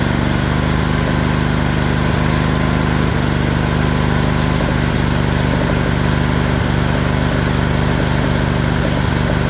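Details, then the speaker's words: Briggs & Stratton Intek V-twin after valve lash adjustment, cold morning below 70°F, on choke: steady, busy twin drone at constant speed with an occasional faint cough, likely from the cold; earlier it coughed worse and barely idled. "I'm still here I'm still here trying to cough a little but it could be because it's cold I mean that motor is it's cold this morning"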